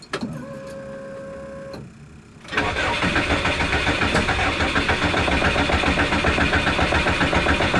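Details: Subaru being tuned, with tune settings changed and primed before the attempt: after a short electric whir the starter churns evenly at about four beats a second but never catches. Crank, no start; owner then adds a battery charger for cranking voltage.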